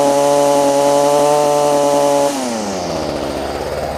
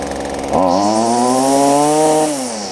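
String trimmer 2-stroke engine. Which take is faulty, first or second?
first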